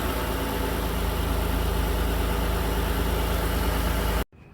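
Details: 2003 Mitsubishi Eclipse 3.0L after new valve cover gaskets, spark plugs and plug wires: even, smooth low rumble at steady idle with no misses, ticks or knocks; normal clean idle.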